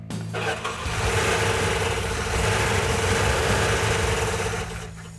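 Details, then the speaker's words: 1970 Plymouth Cuda 340 V8 at first fire-up after fuel pickup fix; cranks, catches, then lumpy, stumbling idle with uneven beat, running on about six cylinders; a bent pushrod among three problems found. "well what's going on is we had uh two problems with our 340. we actually had three problems when we initially fired it off it was running on about six cylinder"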